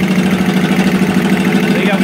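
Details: Air compressor running: fast, even tak-tak knock over the motor hum; something inside is knocking, possibly a valve, cause unconfirmed. Knocking noise.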